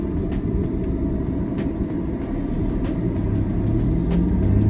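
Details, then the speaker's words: Non-turbo naturally aspirated V6 Ford Explorer after misfire repair on cylinders one and two: deep heavy uneven rumble at idle, louder than expected, coming from front of car; exhaust/muffler leak suspected, owner says always this loud; loud engine noise. "jest okej ten Ford tylko tak głośno nie wiem czy wy słyszycie i się wydaje że za głośno"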